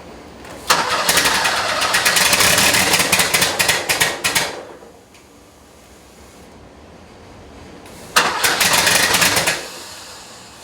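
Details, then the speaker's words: 1977 Porsche 911 Turbo, first start after ignition distributor rebuild and engine reinstall, timing adjusted to the limit; two cranking bursts catch briefly with uneven stumbling beat and die, not running on all cylinders; misfire on start. "I can hear a couple things happening. First thing is that it's not running on all the cylinders."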